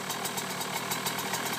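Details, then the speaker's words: 2009 KTM 125 SX two-stroke on a work stand, with about 2 minutes on a new OEM KTM top end after rebuild, heard from the pipe side; a crisp, even ring-ding idle with no knocks or misses. Normal, healthy idle. "I definitely recommend that stand, but great bike, looks good, smells good, runs good."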